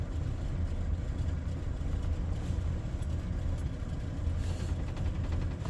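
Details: Carbureted Ford pickup V8, warm: deep, even burble with a steady low rumble, no misses or knocks; smooth, healthy idle, though a wheel seems to be dragging.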